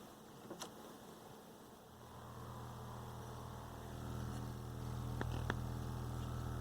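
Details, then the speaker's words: Late-80s/early-90s Radio Shack Realistic MC-800 woofer out of cabinet, driven directly by amplifier from signal generator starting about 40 Hz; low tone rises smoothly, no buzz or scraping at high excursion, no voice coil rub. "nice and quiet [Music] so we can do high excursion and there's no rub there which is really good"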